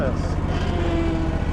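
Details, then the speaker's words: 1998 Skag Turf Tiger mower running with the deck engaged after replacing the switch that caused sporadic deck engagement: a steady, even engine rumble with no stumble or bog as the deck takes load. "All right, let's start it up and see if we'll mow. See if our new switch works."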